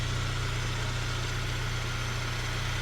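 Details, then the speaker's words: Saab 9-3 Turbo that had low oil pressure and tapping, idling after about 30 minutes running Liqui Moly 2037 engine flush, mic close to engine, hood then closed: quiet, smooth, even idle with steady low hum, no tapping or ticking; normal idle. "She's running, guys. She's running, and she's running well. Very quiet."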